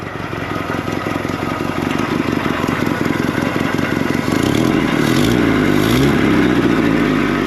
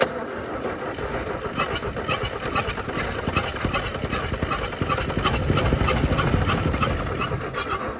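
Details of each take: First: 1964–67 Toyota Stout pickup, 3R four-cylinder, sitting since 1984, no original carburetor, running with over 60 psi oil pressure and no smoke: even quick firing, revs climb smoothly, no knock or rattle; normal running. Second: Toyota Stout pickup with 3R four-cylinder, abandoned since 1984, with no proper carburetor and gas poured in: the starter cranks at a steady rhythm of about 2.5 beats a second but never catches. Flooded engine; plugs fuel-soaked.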